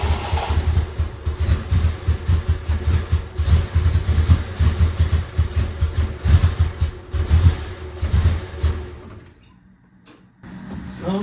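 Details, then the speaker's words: Triumph TR6 non-start, recranked after freeing the air pump slowed by overfilled thick oil: starter cranking with irregular lumpy firing pulses, firing on maybe two cylinders before dying; owner suspects fuel in oil caused damage, compression test planned. "like she's when she fired she fired on two cylinders or something like that"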